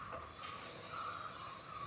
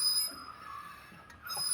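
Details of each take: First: Mahindra KUV100 with a complaint of an intermittent metallic noise from the front: the left front wheel, spun by hand, turns quietly with a light even hiss and no scraping or squeal. Quiet brake with no rubbing; the noise was on the right side. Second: Mahindra KUV100, front wheel raised and turned by hand: a steady high-pitched metallic squeal that briefly drops out, heard intermittently from the front while driving. The brake pad is worn out and its wear-indicator plate is rubbing the disc.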